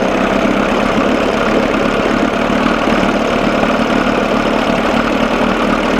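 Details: 1987 Johnson 6 hp outboard running on a bucket after carburetor linkage fix, gearcase oil change and good water pump; steady even buzzing with no stumbles after mixture adjustment from a lean sneeze/miss; sounds good but still runs too cold.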